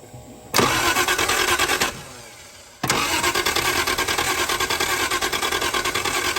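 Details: Triumph TR6: two stretches of rapid starter churning, roughly three beats a second, but the engine never catches; fuel reaches the filter but does not seem to get through, so owner suspects a fuel delivery problem.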